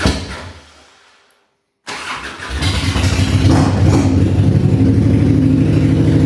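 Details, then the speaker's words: 1995 Harley-Davidson Bad Boy Evo V-twin, revived after sitting, carb and vacuum-leak fixes; still needs choke to start; brief crank, then catches and settles into a steady, even potato-potato idle. Normal cold start and idle. "Bike does run. I'll start it up, man. It sound It sounds good. Um you know, still has to be choked to start, obviously,"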